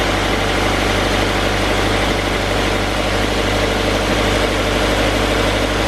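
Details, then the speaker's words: 2016 Subaru BRZ, 65k miles, just after spark plug change: smooth, even idle with a steady low hum, no misfires, ticks or stumbles; radiator fans kick on because AC is on. Engine running properly. "sounds good it's idling pretty normal sounds good there goes idling where it's supposed to be fans kicked on because i have the ac on sounds smooth sounds good"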